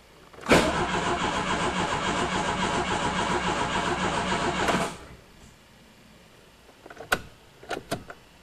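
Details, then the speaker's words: Old Chrysler turbo Aries, first start attempt after sitting six years: about four seconds of steady cranking with no firing and no fuel pump heard; no-start blamed on a non-working fuel pump. "Well, I guess I better check out the fuel pump. Well, that's a penis in the anus having a fuel pump that's not working."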